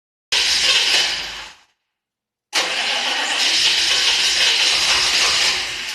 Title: 6.5 diesel turbo won't start